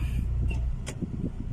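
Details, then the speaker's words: Honda City after repair of shaking and stumbling when cold and with A/C on: low, even idle rumble with no shaking or stumbling, A/C on and in gear, engine steady. "ครับรถเดินเบาปกติเลยนะอ่าอ่ะแต่ถ้าไม่มีการสั่นนับไม่มีอาการกระตุกนะผมเครื่องยนต์เดินนิ่งครับ"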